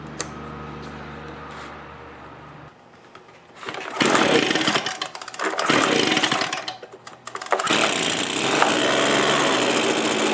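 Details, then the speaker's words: Echo PB265L backpack leaf blower after carburetor replacement (part A021001591), air filter off: a few pulls, then fires, revs up and holds a strong even high-pitched run without stumbling; running normally. "good well that's good that it works I'm very happy with that"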